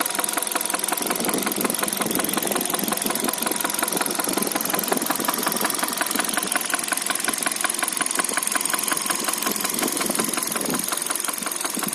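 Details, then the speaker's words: 2013 Hyundai Solaris, 140,000 km, at idle: steady fast ticking knock about three per second over a smooth petrol idle. Top-end engine knock. The owner suspects a valve after the engine suffered oil starvation; not confirmed. "Клапан какой-то. Было масляное голодание двигателя."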